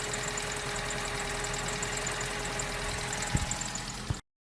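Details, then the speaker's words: 2004 Vauxhall Corsa C 1.2 petrol, off the road two years, idling after a full service with fresh oil and new filters and plugs. Even, smooth idle with a soft steady hum. "Right. This is what it sounds like with fresh oil. You heard what it sounded like before, and this is what it's like now."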